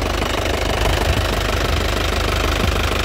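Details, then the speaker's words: 2017 Isuzu Panther LS Turbo diesel, 130,000 km, at idle: even steady clatter with an unbroken rhythm and no misfire, described as stable with good injector nozzles and pump; no smoke and no oil drips noted; healthy idle. "jadi masih stabil tandanya mobil tidak pincang berarti masih bagus untuk noxel sama bos komomnya juga masih bagus ya dari suara bagus dari getarannya juga bagus"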